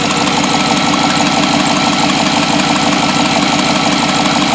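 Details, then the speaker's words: 2007 GMC Yukon 5.3 V8, first start after an oil prime: steady, even idle with no knocks, misses or surging; smooth as glass, earlier miss gone. "boy this thing is smooth as glass it is so so much better definitely that missus gone"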